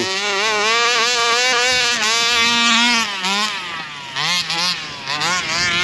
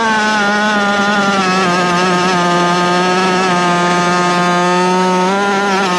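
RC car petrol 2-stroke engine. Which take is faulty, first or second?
first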